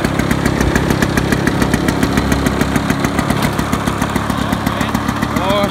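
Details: Rare 1980s Victa Vortex two-stroke lawn mower, primed three times and started: steady, even two-stroke buzz at fast idle, regular firing without misses or surging; runs healthy.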